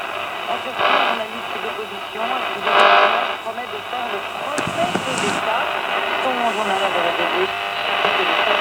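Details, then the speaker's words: Luxor Radio Model R10 from the early 1950s, a recently repaired working tube set with its antenna inside the angled lid. Plays but the station is buried in hiss, crackle and interference bursts as the radio is turned. Working, with weak reception. "And you see, if I just turn it around a little bit, you get disturbance, and also how the lid is angled because the antenna is inside the lid."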